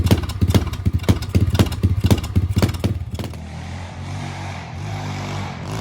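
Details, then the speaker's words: 125cc pit bike with newly installed 26mm NIBBI carburettor, choke off, on a test ride: single-cylinder thumping that falters and flattens into a dull drone as throttle opens, bogging off idle; owner suspects it is not getting enough fuel, jets later enlarged. "Alright, I'm gonna go take it for a ride. Let's see. Ooh, it sounds like it's bogging a little bit."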